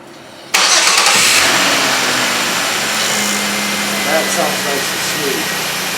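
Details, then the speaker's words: 2004 Chevy Impala 3.4L after replacing spark plugs and wires: cranks, catches quickly and settles into a smooth, even idle with no misfire. "That sounds beautiful."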